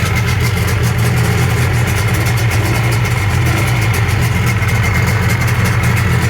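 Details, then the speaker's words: Rebuilt 1997.5 Sea-Doo GSXL, 951 two-stroke, during break-in on richer premix plus oil injection, on the ramp: busy, steady idle with even low drone and crackle, no knocks or misses; sounds healthy though it rode unusually rough. "Okay, so all that sounds good there, but riding it, I'll tell you, it runs really rough and not usual rough for break-in."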